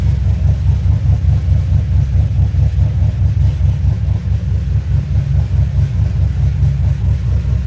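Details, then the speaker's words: 2007 Pontiac Grand Prix GXP LS4 V8 after rear head bolt thread repair, second restart after plug wire check: steady even idle rumble, no knocks or ticks; crossover and downpipe nut still to be tightened; normal idle. "Sounds good. Yeah, I still need to tighten up the crossover, and I need to add one more nut on the downpipe."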